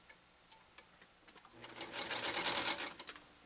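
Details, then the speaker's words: Restored Singer 192K Spartan (0.80 amp motor) with clutch locked, sewing a single layer with ease: quick, even needle clatter of about three stitches a second rising to a steady rapid run, no labouring; normal running. "and we're going to make another turn I tell you one thing it's not having any difficult with a single layer that's for darn sure"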